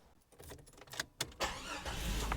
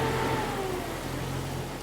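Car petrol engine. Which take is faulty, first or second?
second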